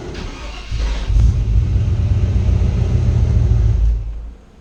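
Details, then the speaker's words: Newly installed mini racing high-torque starter on a Chevy V8 (305/350/454 type) with headers cranks quickly and evenly for a few seconds before the engine catches and revs briefly; a strong, clean crank compared with the old, slower starter. "Man, did you hear how clear that was? Man, that sounded good. Listen to how clean this starter sounds."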